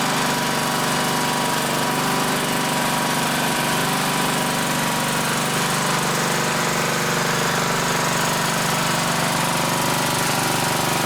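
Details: 1960s-era roughly 10 hp Briggs & Stratton (Hale fire pump), recently tuned with fresh oil and some old fuel: even, fast single-cylinder putter about three firings a second, steady, no misses or knock; normal running, slightly smoky (owner suspects rings).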